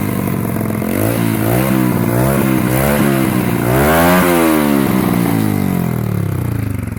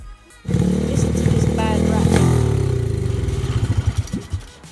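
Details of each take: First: Restored 2004 110cc Chinese pit bike, now running and rideable though lacking a rear brake: crisp, even firing rising and falling smoothly through throttle blips. Healthy normal running. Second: 2004 Xsport Chinese 110cc pit bike running on kickstart: loose uneven metallic rattle from the starter chain detached from the starter motor gear and flopping on the flywheel.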